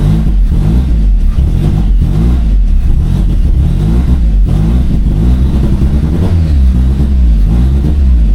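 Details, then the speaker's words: Turbo Corolla four-cylinder finally idling after fuel pump work and reattaching the intake, no check engine lights; low steady idle with a slight rhythmic lope as it settles, no misses; normal idle. "idling finally, but And I still have no check engine lights. I'm gonna see if this idle clears up a little bit."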